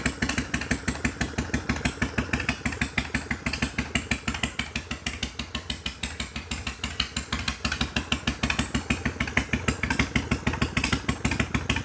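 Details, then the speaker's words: 1993 Harley-Davidson FXDWG Evo after ultrasonic carb cleaning and carb adjustments, running in the shop: lumpy, loping twin idle at roughly three beats a second, steady and clean with no misses or clatter. "All right. Well, that sounded pretty good to me."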